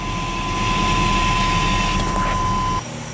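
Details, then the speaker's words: 1994–1997 Chevrolet S10 engine running: loud airy hiss with thin steady whistle when brake pedal is pressed, RPMs rise slightly; brake booster gone bad, common after 200k. Brake booster vacuum leak. "you can hear it and then you know when you actually hit that pedal you hear a really loud vacuum leak and RPMs fly up a little bit"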